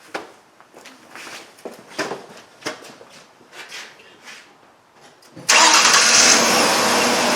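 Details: 2003 Mercury Sable 3.0L SOHC with an extended-crank complaint, started after reassembling the fuel tank and pump; a few faint clicks, then it fires almost instantly with no long crank and settles into a steady run; normal quick start.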